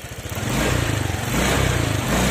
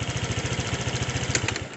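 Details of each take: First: Honda Vario 125/150 scooter, spark plug never changed: snapping the throttle gives a rev with short dips about once a second, stumbling pickup (mbrebet) traced to a worn spark plug cap, not the throttle body. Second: Honda Vario 125/150 scooter after replacing the spark plug cap that caused hesitation: even, steady putter at roughly twelve beats a second with no misses or stumbles; idles cleanly, back to normal.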